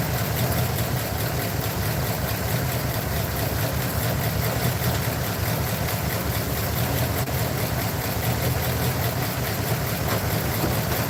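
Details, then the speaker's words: Truck with a loud, low idle and a rough, uneven stumbling beat, checked with an inductive timing light. One side cylinder showed a laggy response and is the suspected culprit. Misfire at idle. "I'm not gonna physically pull the wires off but I am going to put my inductive timing light to it and see which ones are misfiring"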